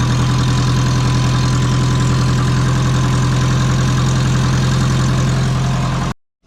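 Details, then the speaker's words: Subaru twin-turbo low-mount turbo setup at idle: deep loping idle with a regular puffing tick about 3.5 per second after tightening the manifold nuts. Exhaust leak suspected at the wastegate, not confirmed. "but yeah definitely sounds like it's leaking from that wastegate"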